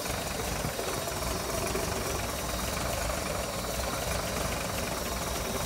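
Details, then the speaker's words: 1958 Ford panel truck engine before valve adjustment: a busy, rattly idle with clacky top-end chatter running through it. One valve had far too much lash; afterward lash was set to about 0.019 in. "after running the engine for a while it was obvious that the valves needed some adjusting there was one that made quite a bit of noise"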